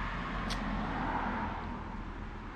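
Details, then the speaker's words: Turbo K-swap Mazda Miata after the engine re-swap, running cold with the gauge reading intake air temp instead of coolant temp: steady, even drone with no knocks, ticks or misses, and no smoke or leaks. Normal cold running. "it does run runs really well when it's cold which is a relief no weird noises no smoke no leaks"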